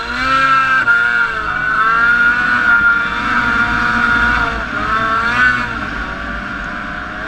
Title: Etec 800 Misfire